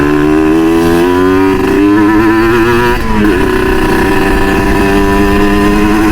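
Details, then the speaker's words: Kawasaki Ninja RR two-stroke with Moto1 ceramic 59mm block and PWK KX85 carburetor (standard-engine setting was PJ 52/main 152, too rich); raspy two-stroke burble steady at mid revs with light uneven four-stroking; jetting sounds right, engine healthy. "Oh, enak nih berebetnya, serak-serak basal gitu deh. Dua tak tuh kalau nggak berebet tuh nggak enak tuh."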